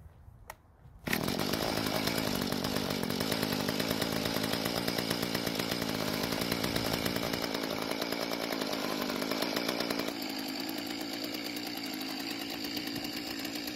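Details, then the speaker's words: Mantis tiller two-stroke after carburetor adjustment (L screw turned counterclockwise about half a turn for more low-speed fuel, idle screw clockwise); catches with crisp even buzz, settles steady, runs much better: normal running. "So after the adjustments, it seems to work a lot better now, but I need to try it on some dirt to make sure I don't need to adjust the carburetor when the engine is under a load."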